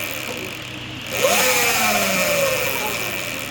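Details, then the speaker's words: Sur-Ron electric bike stock jackshaft spinning up: rising whine over a rough, hissy whir from noisy bearings that were neglected and not regreased; regreasing with high-performance grease follows. "So what happens is the bearings start getting noisy. Now this is my fault because I've neglected it and I've been too busy trying to crack speeds. Now if you listen, you hear the bearings starting to get noisy."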